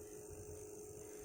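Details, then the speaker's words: Crossover powered by a switching PSU adaptor instead of a transformer, power amp volume up: faint steady mid-pitched hum under quiet background; adaptor ripple noise, a drawback of adaptor supply. "Inilah ya kekurangan kalau kita memakai PSU adaptor, ada noise nya teman-teman."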